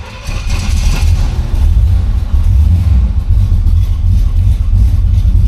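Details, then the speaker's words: 1969 Pontiac LeMans convertible, 43,000 miles, cold start before test drive: deep steady rumble catches at once and holds even with no misses or knocks; strong, healthy cold start. "That's a cold start. As you can hear, she sounds like real strong."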